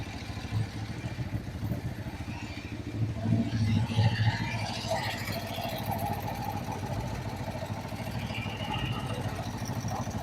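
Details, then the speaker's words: Kawasaki Vulcan 500 twin, warm, after valve adjustment during carburetor synchronization: low, fairly even idle thump, no misses or rattles; carbs nearly balanced, normal idle. "Venga pues vamos a arrancarla no está tan mal no está tan mal Mira"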